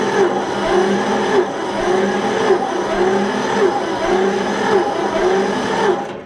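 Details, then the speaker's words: John Deere 70 tractor, recently freed from a stuck engine, on a new charged battery: choked, throttle worked, slow even cranking about one beat a second, never fires. Owner suspects it isn't getting enough spark. "Just make sure we're getting fire. Like I said, we don't think it's getting enough fire, so I think that's our problem."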